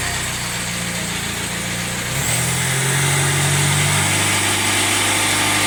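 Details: Jaguar F-Pace 204DTD diesel just rebuilt (used polished crank), first start-up: uneven, lumpy beat that surges instead of settling, engine shaking about; pretty rough idle, owner hopes it improves on restart, cause not yet pinned down.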